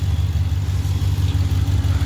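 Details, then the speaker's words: 2019 Ram 1500 Limited V8 pickup, pre-purchase inspection: steady even idle with only faint normal lifter actuation tick, no hard tick, misfire or manifold tick; engine healthy. "Um, doesn't tick or anything weird outside what normal operation on these is. You'll hear like the lifters actuate a little bit on these trucks, but it's nothing that's concerning."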